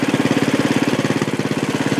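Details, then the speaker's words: 1967 or 1968 Sears Suburban Super 12 Special tractor, home-built propane conversion, cold start at about 3/4 throttle: fast, even single-cylinder putter with no misses, smoky at first but clearing; normal running. "There we go. Pretty smoky, but it clears up."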